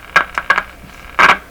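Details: Clinton 629 tube radio after replacing five paper/wax capacitors: sharp uneven crackling bursts over a quiet hiss; owner suspects a shorted capacitor, cause not confirmed.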